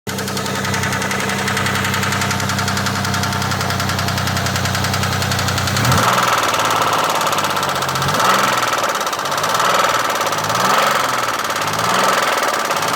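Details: 2003 Chevy Impala 3400 V6 at idle: loose uneven tapping that swells when blipped; owner suspects pushrod knock, unconfirmed.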